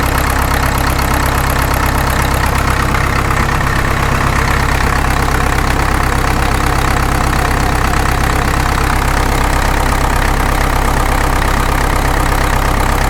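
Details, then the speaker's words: Caterpillar D2 #5J1113 diesel, engine not fully broken in, idling during a return-port injector test: even idle with an occasional sharp pop; number 4 injector fills and spills from its return port, the others fine, internal leakage. "Number 4 has already filled up to the top of the return port and is starting to spill down the outside. The other 3 are just fine. So I know we've got a lot of internal leakage going on in here."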